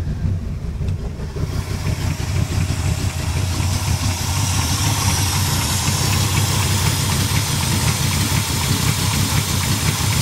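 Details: 1971 Cutlass big block with new Edelbrock Performer intake, 750 cfm Edelbrock carburetor, JEGS fuel pressure regulator and Spectre free-flow air cleaner cranks briefly, catches, and settles into a steady, slightly lumpy idle with an even exhaust beat and no knock; healthy.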